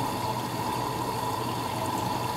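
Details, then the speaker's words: Midea HealthGuard Smart 13kg (MF200) washer on Cama e Banho cycle, white cotton load: steady rush of water with faint valve hum filling for the second program rinse, where softener is released, using as much water as the first rinse; normal fill. "aí agora que ela tá fazendo o segundo enxague normal do programa que é o enxague onde ela libera o amaciante ela tá usando a mesma quantidade de água que ela usou no primeiro enxágue que eu mostrei aqui para"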